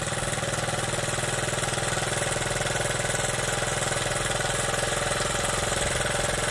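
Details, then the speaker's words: Honda Z50 small single-cylinder minibike with points ignition, first start after build, chain off awaiting sprocket, fuel tank hanging: quick, even putter with no misses or stumbles, idling beautifully, clean steady healthy idle. "Alright, cool. Just idling beautifully."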